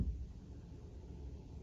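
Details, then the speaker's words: Turbo Buick primary electric fuel pump switched on in ECU output test mode, fuel pressure rising from 25 static to 40: low, steady hum without surging or catching; normal fuel pump operation. "I'm going to click this primary pump on and you're going to hear it come on and you'll probably see it change on the fuel pressure gauge"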